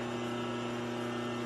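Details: 1946 Harley knucklehead being rebuilt, cranked over in neutral to spin easier during a timing check. Steady droning crank with an even low hum and no firing; it turns over but doesn't hit.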